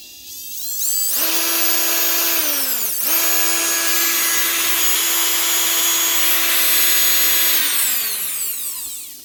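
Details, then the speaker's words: 2024 Bosch GBH 36 VF-Li Plus 36V SDS hammer drill, test run: a quick spin-up to a clean, steady high whine at full speed with a brief dip and recovery, then wind-down; the motor was confirmed as the fault, normal running. "Much better. Tis the motor."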